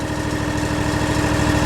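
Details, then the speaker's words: Scag mower with a Kawasaki FX691 engine that had a charging problem, started after charging the battery: steady, even low idle with no misses or knocks while battery voltage reads 13.62 V (13.56 V with light on); voltage regulator was suspected; normal idle. "I'm fixing to fire this baby up battery's all charged up I'm going to fire it up check the voltage on the battery see if it's getting charged"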